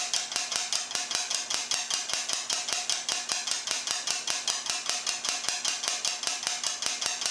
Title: Air Dryer Making Clicking Sound